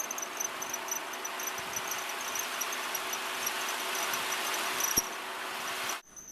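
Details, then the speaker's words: 2003 Mazda Protege, 183,000 km: thin high chirping squeal pulsing over engine hiss after sitting, in reverse and in gear, worse on gas; serpentine belt slipping, fixed with a high-quality belt replacing cheap ones. "okay after sitting here for a bit I'm in Reverse the squeal is started okay we've got some squeal that you can hear that and we're in gear"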